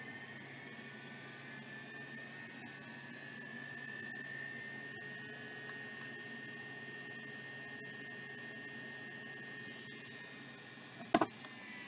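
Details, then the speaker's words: Vintage NEC D5655 hard drive spinning up: quiet steady whine holding one pitch with soft airflow hiss, no scraping or clicking; spins up normally, seems to be working. "I think that one's working"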